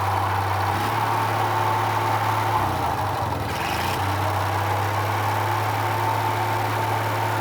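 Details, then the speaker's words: Roughly 78-year-old two-cylinder water-cooled Onan generator, warming up under light load; drone sags and recovers, speed inconsistent with load, light flickers; owner suspects worn linkage rod needing new ball ends. "that not very consistent changes quite a bit with the load"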